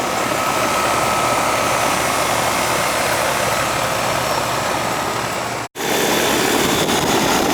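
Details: Older Ruud AC condenser running after the technician found a bad capacitor; steady fan rush with even compressor hum and faint constant tone, warm air discharging, lines sweating and charge judged fine, starting and running normally.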